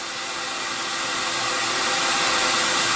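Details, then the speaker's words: Record Power CamVac CGV286 dust extractor, exhaust ducted outside, just below 70 dB; soft steady rushing air with even motor hum, no rattles or harsh whine; normal running. "just below the 70 level and now the noise that I'm hearing is a very soft kind of noise and it's not harsh than the years"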